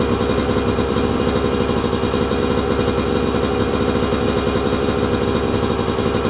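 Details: 2002 Yamaha YZ125 two-stroke that sat a long time, first run after cleanup with choke on: crisp, even burble with steady firing, no knock or clatter; crank sounds good, idling healthy.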